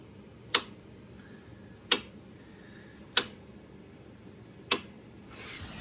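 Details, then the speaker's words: 2016 Polaris Sportsman 570 with a new cylinder, brake off: four sharp solenoid clicks about every 1.5 s and no crank. The starter saw only 7 V; a bound-up engine/starter or rusty solenoid connections are suspected. "still doing the same thing you just hear that solenoid clicking up front"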